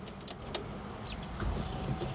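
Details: With key on and engine off, a short electric whir from the back as the fuel pump primes normally on a 1950 Ford with custom EFI, after a spark plug change and new throttle pedal.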